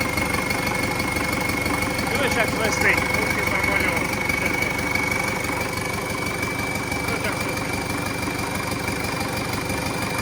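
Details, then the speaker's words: An MTZ-82 tractor diesel with a newly fitted TKR-6 turbo, first start on a frosty day, exhaust unfinished. It holds an even, unhurried idle with no knocks or misses and a steady high turbo whistle over it: normal. "Ну, свистить конечно прикольно з турбінкою і робе зовсім по-іншому."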